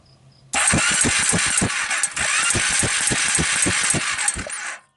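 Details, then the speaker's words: Suzuki Quadrunner 250 4x4 with about 11,000–12,000 miles: steady starter cranking with even compression pulses that never catches, and no spark seen or heard. Cranks but won't start. "see spark you guys I don't see spark I know I don't hear spark that's not a good sign"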